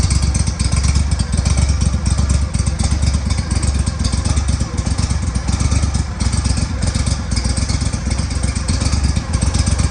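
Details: Engine after fixing exhaust leaks (power trim pump had metal in it): deep, lumpy rumble at a steady pace with no sharp ticking or puffing of a leak; exhaust now sealed, running normally.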